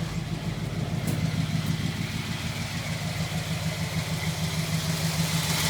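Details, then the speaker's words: 1952 Ford F1, cold start after sitting 7 days, choke pushed in, rebuilt carburetor and new spark plugs; low even idle pulse, no ticking or knocking, smooth, idle set perfectly. "You'll see there's no ticking, there's no knocking. Everything is running nice and smooth. Idle is set perfectly."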